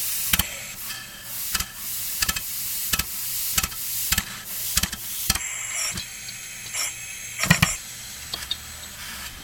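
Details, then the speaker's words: Homemade steam engine run on compressed air, supply dropped to 20 psi (needs about 65): sharp, uneven hissing exhaust puffs roughly every two-thirds of a second, fading; engine only turns partway, weak from low supply pressure. "I'm down to 20 psi mine's a very inefficient engine if it wants to run at 65 PSI"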